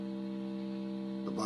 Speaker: sometimes you can have notes that don't work at all if the bias is way out here's an example when i moved it the card isn't working there the transistors aren't functioning properly